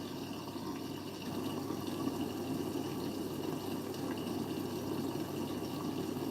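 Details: Siemens 9 kg washing machine, Eco 40-60 with an 8.35 kg full load: water flows steadily through the i-Dos dispenser with no knocks or hum; normal fill.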